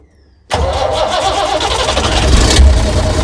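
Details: 60-year-old International Harvester 6x6 army tipper, Perkins 6354 diesel, sat about 10 years, in neutral, running on old diesel in cool autumn air: starter catches at once into a steady, deep, even idle with no misses or knocks; healthy start.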